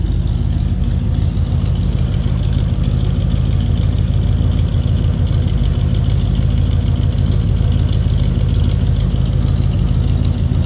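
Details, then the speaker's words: 1956 Pontiac Chieftain Catalina coupe with a 317 V8, heard from the rear: a deep, steady low rumble with an even idle pulse and no knocks or misses through dual exhaust. Normal idle. "Slip around in the back so you can hear this run. Little rumble coming out of that 317."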